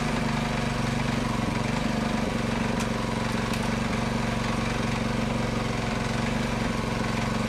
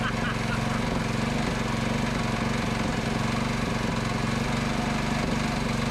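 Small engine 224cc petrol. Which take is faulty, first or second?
second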